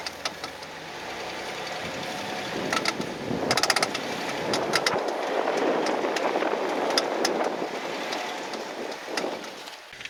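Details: 2010 Jeep Wrangler JKU in four-wheel drive, microphone under the vehicle while driving slowly; sharp metallic clicks over crunchy rolling noise: worn front driveshaft CV joint clicking, fixed by replacing the front driveshaft.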